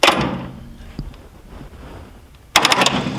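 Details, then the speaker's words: John Deere 7200 tractor with intermittent no-crank: two short whirring bursts of the starter spinning freely when powered directly at its terminal; starter works, so power isn't reaching it, switch block suspected. "see that flywheel turning so it's trying to crank which tells us then that we're not getting power there"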